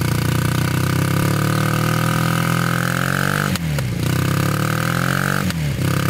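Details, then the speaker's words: Honda trike with swapped CM400 automatic twin, long stored, rusty tank: steady drone that sags and stumbles when put into gear, then recovers; carbs leaking gas, owner suspects carb clean needed. "all right so it's kind of Boggy when you put it into gear so I don't know if it needs a carb clean or what doesn't want to start"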